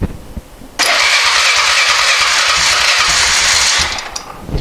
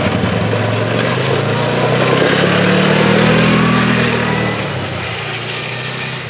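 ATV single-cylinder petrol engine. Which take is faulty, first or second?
first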